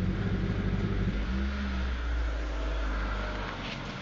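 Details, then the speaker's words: Proton Waja MMC with fuel injection: engine revs roughly, then sags and fades instead of pulling cleanly, a fuel-starved stumble. It hesitates and won't move when the throttle is pressed. "jadi hari ni kita ada contoh punca daripada tadi nak tekan minyak tak boleh nak berjalan pun semput daripada Proton wacha MMC"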